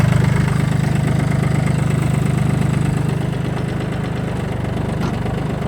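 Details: Kubota L1-18 three-cylinder rear-wheel-drive mini tractor with tiller, 877 engine hours: steady diesel idle with even pulses around 210 a minute, settling slightly quieter; runs smooth, normal idle.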